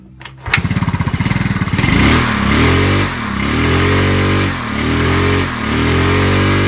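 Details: Yamaha Mio Sporty after replacing worn rear CVT bearings that caused crackling at high rpm: engine catches and revs in smooth swells with no crackling or grinding; CVT now sounds normal.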